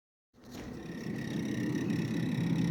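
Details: Freezer evaporator fan hums steadily with a thin, high chirp as its blades catch on built-up ice; the remedy is turning the temperature control down (not off) for a few days so defrost clears it.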